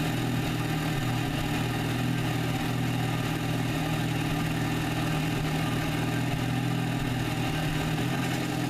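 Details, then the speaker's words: MKVI VW GTI cold start before oil catch can install replacing PCV valve: uneven lumpy low idle drone with faint unsteady surging, intermittent misfires; rough cold idle, cause suspected, not confirmed. "so here's a clip of how it sounds same thing as before same cold start video that I had before where you get misfires in air surge"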